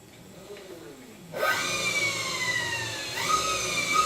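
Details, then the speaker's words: Quadra Sprint electric scooter after new hub motor install, battery at 100%, thumb throttle blipped; clean electric whine sweeps up and settles twice, no grinding or clicking: normal motor run. "Motor's working. So we're all good."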